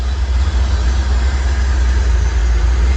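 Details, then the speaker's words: 1985 C4 Corvette V8 after fitting new spark plugs, timing not yet set: deep, even burble at idle with no misses or knocks, only a slight hunt; owner thinks idle may need bumping up. "You can see she's hunting just a little bit. But the big difference, I might just need to bump the idle up."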